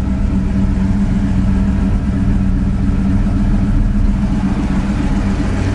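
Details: 1988 Mustang GT V8 with Maximizer long-tube headers: deep, throaty burble rising and falling evenly through free revs with no knocks or rattles; sounds healthy.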